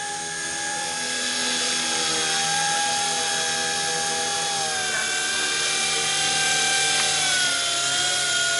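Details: Blade 180CFX RC helicopter in flight: steady high rotor whine with a thin squeal growing toward the end; bearings suspected to be failing and due for replacement.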